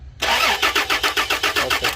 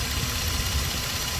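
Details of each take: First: Toyota Land Cruiser V6 cranks in an even rapid chug, about six turns a second, but never catches; crank no start, cause suspected, not confirmed. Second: Toyota Land Cruiser V6, previously crank-no-start with fuel pump relay in question: steady, even idle, smooth low rumble, no misses or knocks; engine sounds healthy and settled.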